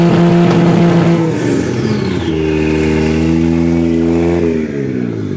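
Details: 1JZ swap in FC3S chassis that won't boost; engine revs up then stumbles and flattens out instead of pulling cleanly; misfire/breakup fixed by grounding the neutral safety switch.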